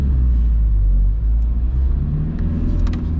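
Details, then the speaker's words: VW Golf Mk3 1.9 TDI 90 hp (1Z) diesel pulling away in first gear in rain after fixing a handbrake cable rubbing the rear tire: low steady rumble, no scraping or clunking from the rear. "let me just drive there is no six gear of course and the car is running just fine"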